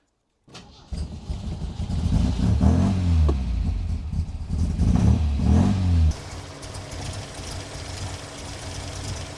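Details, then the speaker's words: Supercharged MGB on Weber DCOE carburettor with 123 Tune+ distributor, run with supercharger belt removed: engine revs unevenly and lumpily, then stumbles to near-stalling idle and fouls; owner suspects jetting/mixture and timing, unconfirmed. "Fouled up again. Ah, what's going on? I think I need to order some new jets."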